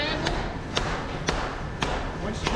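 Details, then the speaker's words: Band saw blade on the anvil in the file room, blade hitting flat with sharp slapping thuds about every half second; tension still a bit high but not dangerously, back slightly moved, front possibly still sticking. "I golly it's been a lot you hear how it hits flat on that"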